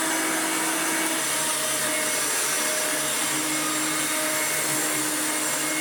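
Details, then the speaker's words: Restored Hoover Turbomaster Electronic upright vacuum after new motor and brushroll bearings and full clean, strong airflow; loud steady high-pitched rush with even motor tone, no knocks or rattles; normal running. "the motor has new bearings a brush roll has new bearing everything is clean spotless and yeah this thing has amazing airflow now"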